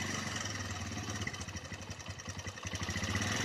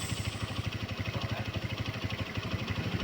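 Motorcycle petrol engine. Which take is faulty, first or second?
first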